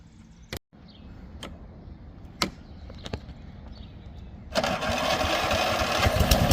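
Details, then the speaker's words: Toro Recycler 22 electric-start push mower runs properly after recharging the battery, regapping the spark plug from 45 to about 30, and fitting a new primer bulb and filter; several pulls and clacks, then a steady, even run with no misses. "all right so the battery held a charge and we had to do a couple little things"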